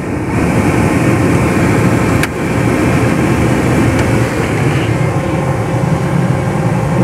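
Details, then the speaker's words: Renault Megane 2 cabin heater blower after replacing the mouse-infested fan and the resistor: smooth even air rush with no rattle, scrape or squeal; blower fully functional, noise gone. "zgomot Mașina este complet funcțională partea de aerotermă"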